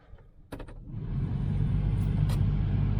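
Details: Blower fan on a neglected, abandoned 1977 Chevy Malibu Classic spins up over a second into a steady low hum with no rattle or squeal; works after wiggling wires, though its wiring had been rigged and a wire found disconnected.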